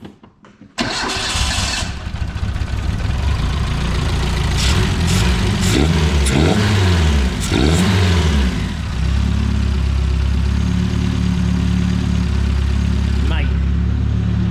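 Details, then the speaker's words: Renault 5 GT Turbo engine in van, first start after rebuild, injectors dialled in and base idle set: cranks, catches, blips a few revs, then settles to a steady even idle without misfire or hunting; runs right. "set the base idle went over a few parameters and it runs lovely it runs right"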